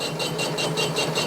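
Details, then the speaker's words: Workshop lathe gearbox after repair by a mechanic and with oil added: soft, even whirr pulsing about five times a second, no grinding or strain; sounds a lot better than before, normal gearbox running. "yeah sounds a lot better than it did first time it's ever add some oil in the gearbox this thing"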